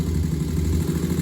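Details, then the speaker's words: 2001 Honda TRX400 single-cylinder, stock exhaust, at steady idle: a rounded low putter with no knock or tick. A small tick had been reported after a valve adjustment to spec; the bike sounds nice and healthy with a nice idle. "Y'all see the bike sound nice and healthy. Got a nice idle on it."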